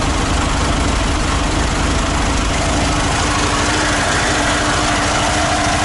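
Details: ZAZ 968M air-cooled petrol engine started after standing idle, fuel pump just repaired, carburettor accelerator pump still sticking: steady low rumbling idle with an even pulse, no stumbling, misses or knocks; idles normally.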